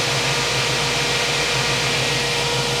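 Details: 1967 Ford Mustang 302 V8, rebuilt with about 20,000 miles since, hot, after tune fixing a small vacuum leak and idle speed, 10° timing, vacuum about 19: steady even idle, smooth low burble, no stumble, loud hiss; runs healthy.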